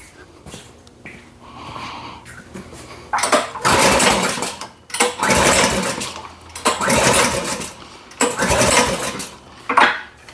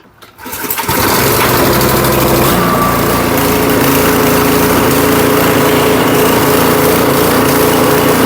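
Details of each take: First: Powersmart snowblower brought in after a customer's failed repair attempt, fuel on and primed: repeated pull-cord bursts, four or five strokes, each spinning the engine briefly with no catch; cranks but won't start. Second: Powersmart 212cc 24-inch snowblower, after repair, fresh gas and oil checked, catches within a second and settles into a steady, even run with no misses or surging; normal running.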